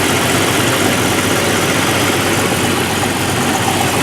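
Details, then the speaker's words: 1989 Jeep YJ after the new exhaust system was installed: even, steady idle with a smooth hiss, much quieter than before, no ticking or leak puffing, running cleanly. "Much quieter. If you remember back at the beginning of the video how noisy this was."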